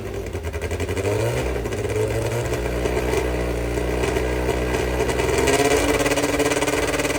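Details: Brabham BT21 historic one-litre F3 race engine, first fire-up after rebuild (new crank, balanced conrods, new sump), not yet warmed: crisp rapid even beat with throttle blips, no knocks or rattles; oil pressure good, normal running.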